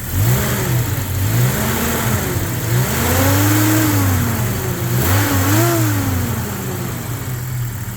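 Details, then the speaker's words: Rebuilt wrecked 1998 Jeep Cherokee XJ inline-six, everything under the valve cover replaced and months of tuning, blips cleanly through several revs, smooth with no knocking or tapping: healthy engine. "That's great. That's nice and smooth. Yeah, I don't think I was able to get this thing to run any smoother than it runs now."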